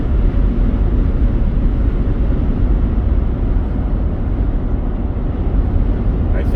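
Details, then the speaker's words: 2008 Mercedes ML320 diesel, about 172,000 miles, after resoldering the failed wastegate actuator (codes P2359 overboost, P2510) and new air filters: strong, smooth roar pulling steadily on throttle with no surging or hesitation; making good power. "so I'm going to get on the throttle a little bit now I'm making good power"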